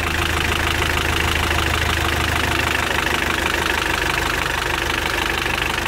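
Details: Mitsubishi L200 Sport GL diesel idling roughly with a steady knock about three times a second; worn piston rings causing heavy blow-by, lots of oil blown out with the cap removed.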